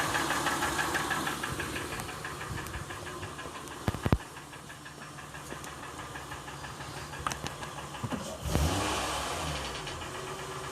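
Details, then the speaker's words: 2007 Honda Ridgeline, recently bought used, in park with A/C and fan off, at idle and revved: irregular sharp clicks and knocks about three per second; engine knocking noise, cause unknown. "this is the noise coming out of my car the car is in park the air conditioning is off the fan is off"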